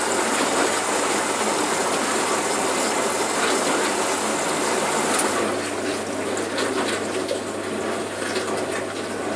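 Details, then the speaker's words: Bosch Logixx washing machine on rinse, filter found black with hair clips, possible burning smell noted, later shows E02: steady pump hum with gushing water as it drains again mid-rinse; cause unclear. "Right, it's now stopped draining. Oh no, we're draining again."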